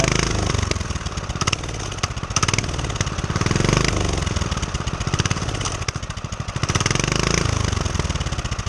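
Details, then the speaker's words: Homemade turbo pit bike, warmed up, idling with no throttle and turbo spinning: small single pops, then the beat stumbles and sags unevenly like fuel starvation; owner suspects it ran out of gas. "You got to give it a little bit of throttle for now, but once it warms up, like right now, there's no throttle at all. It's just running. And you can see the turbo, it's spinning. Oh, I might be out of gas."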